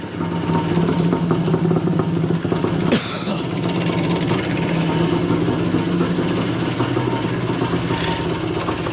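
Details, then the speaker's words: 1977/78 Yamaha IT400 two-stroke, first start after clutch cable replacement and petcock cleaning: steady, crisp idle with even rapid beat, no misfires or rattles; runs well but idle set too low. "well it sounds good oh might need to bring that idle up just a little bit"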